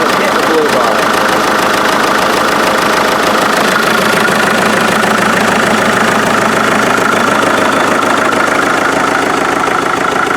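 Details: Rebuilt 1947 Farmall MD diesel tractor idling outside after its rebuild (injection pump seals, new fuel filters, lines blown out, new water jacket gaskets). Steady, even beat of about 200 per minute with no knocks or misses; healthy idle.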